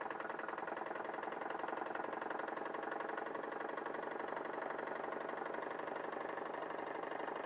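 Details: Wilesco D21 model steam engine on its second run, fired by a Bix burner on propane/butane mix and driving a 3D-printed Baker fan as load. Quick, evenly spaced chuffs at a steady pace, no knocks. Normal running under load.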